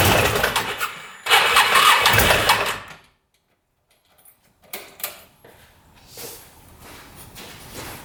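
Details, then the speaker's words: Odes Dominator 800 4x4 UTV with a V-twin that suddenly lost power while riding, heard with the camera at the engine. Start-up brings a loud, harsh, uneven racket with heavy smoke, then a rough, irregular clatter; cause unclear. "oh that sounds bad that sounds really bad no wonder the guy didn't want to start it up for me that sounds horrible"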